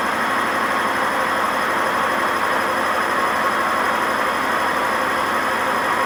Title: WMA50 spinning without ballast, and very bad bearing noise